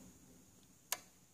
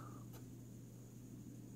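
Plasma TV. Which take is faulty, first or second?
second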